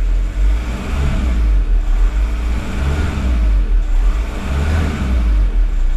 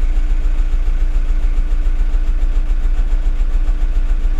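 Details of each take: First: VW T5/Touareg diesel right after fuel filter change (OEM 7H0 127 401), purging air drawn from the filter: deep, even rumble with gentle slow swell, no misses or knocks; now running nice and smooth. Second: VW T5 diesel just after fuel filter change: running at about three and a half beats a second with slightly uneven hunting rhythm as it draws air from the filter, then smoothing out; rough running from air in fuel system.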